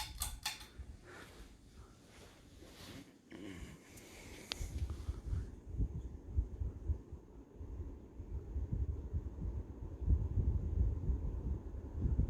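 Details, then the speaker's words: Ceiling fan on high speed: after some handling clicks, a steady low whoosh of moving air with no rubbing, ticking or wobble. Normal operation. "thing this thing blows a lot of air on high speed i don't know if you can hear the wind"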